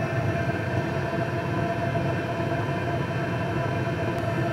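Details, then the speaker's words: PH21A 2 kW 12 V diesel parking air heater running continuously without cycling: steady, even blower rush with no surges or abrupt starts; normal running. "n abrupt noise like a household furnace where the furnace comes on and you hear the blast of air it also allows the heater to run continuously so that it's it's not turning starting and stopping"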